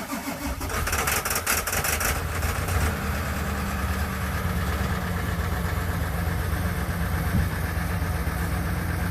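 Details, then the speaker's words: 1999 Ford F350 7.3 Powerstroke diesel, faulty glow plugs, cold start at -7°C with AMSOIL Cetane Boost: nearly three seconds of labored cranking, catches, then rough uneven idle as cold cylinders come in; hard cold start from faulty glow plugs. "So yeah, guys, without that cetane bottle, this thing would not start. Even in like 0, it would just barely get going."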